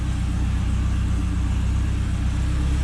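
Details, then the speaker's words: Honda K20 engine swapped into an MR2, just after its first-ever start in the garage: even, steady low rumble with smooth firing rhythm, quiet, no knocks or ticks; normal idle. "All right, so we are started. It does start. It sounds good. Yeah, this thing sounds really good."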